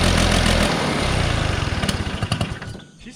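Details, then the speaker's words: 1969 Polaris Colt 303 Wankel rotary snowmobile after years sitting, started with squirt-bottle fuel: fast uneven burble about four pulses a second that stumbles and fades, running rich; owners plan to lean the carburetor low/high screws. "There's low and high. I think we should lean it out a little bit."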